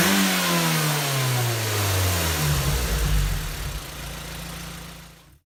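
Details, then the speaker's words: 2006 Mazda Miata, about 20,000 miles, newly installed Goodwin Racing Helmholtz exhaust, unloaded free revs falling to idle: hollow tinny metallic rasp over exhaust note, heard from Helmholtz chamber area; owner says worse under load at wide open throttle. "I can definitely hear a hollow metallic sound coming from the Helmholtz chamber area itself"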